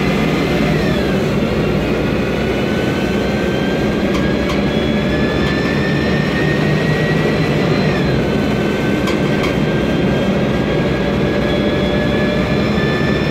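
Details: MAN Lion's Classic city bus, 2007, MAN E2876 LUH03 EEV turbo CNG engine, Voith DIWA 864.3 4-speed automatic: a steady high whine that climbs with road speed and drops back at each gear change, from a noisy automatic gearbox.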